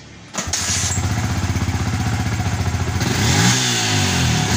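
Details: Yamaha Vixion that was hard to start and died when throttled, after replacing the regulator/rectifier (kiprok): catches at once, even thumping idle, revs up and down cleanly without stumbling; healthy.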